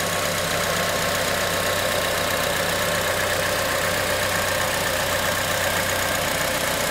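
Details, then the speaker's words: 2004 Honda Element 2.4 L K-series four-cylinder, about 121,000 miles, valves never adjusted: baseline idle before valve adjustment, steady with light even valve clatter and no knock, normal idle. "to give you some idea of a baseline of what this engine sounds like before I do the adjustments this is what I have"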